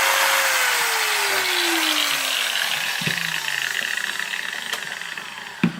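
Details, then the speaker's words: Makita 9565CVR 1400 W 125 mm angle grinder at lowest speed, customer reports shaking and low power: whine slides down in pitch over a rough, uneven buzz; armature suspected faulty. "so I think it's a night and I'm betting it that it's an arm trip owl so I will try to put it on the deathbed of course I will use the lowest speed and turn it on you can hear that it's 40 not very good"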